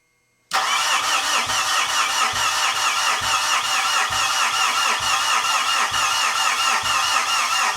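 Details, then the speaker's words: 2013 Mitsubishi Fuso FG 4P10 diesel, no-start for over a year: starter cranks at an even two or so beats a second for several seconds with no firing; no rail pressure with injectors connected, pressure builds with injectors blocked off and disconnected. "No pressure with the injectors connected. So, what if we again disconnect all the injectors?"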